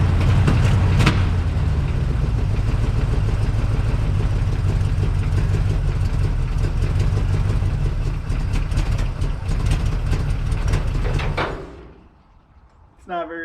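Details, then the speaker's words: 1962 Chevrolet C10, fresh real gasoline added but carburetor still adjusted for the old fuel: engine lopes unevenly at idle, stumbles and dies; owner plans to raise idle and richen mixture. "happy I'm going to see if I can adjust it real quick and get it to uh want to stay running"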